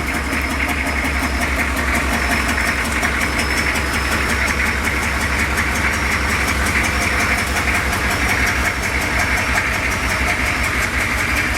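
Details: Lowered 6.2 diesel Suburban at steady idle with a terrible exhaust leak: a sharp, raspy tick and puff on every firing pulse, loud up top. The fix is replacing rusty pipe with pipe from the junk pile.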